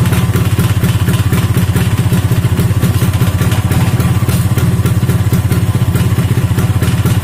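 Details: Vespa two-stroke engine running on a stand after an engine rebuild with a mixed Strada/Sprint gearbox. Fast, even buzz at a steady speed with a little rattle from the undamped stand. The owner judges the engine smooth; road performance is not yet tested.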